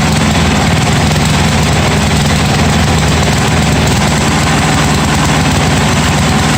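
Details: 1982 John Deere 108 lawn mower being built into a mud mower, first start after fitting a different carburetor: steady, even single-cylinder note with a consistent low thump and no stumbling or surging, running cleanly.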